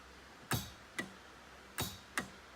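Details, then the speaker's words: Jeep Liberty with a GM universal Nitrous Express kit (part 20902): four crisp, clean clicks as the purge solenoid opens and closes, only with the arming switch on. Purge solenoid working properly. "can hear the purge solenoid wide open throttle you can hear the nitrous and the fuel solenoids in the back the bottle all mounted line ran nice and clean under the carpet under the soap plates"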